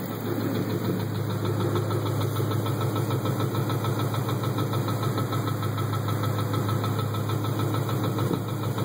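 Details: 2012 Mustang GT 5.0 V8 at idle after switching to Amsoil Dominator 5W-20: a low, irregular knock of about three beats a second. Only 3–3.5 of 8 quarts of oil drained, with no visible leaks; the cause is unknown.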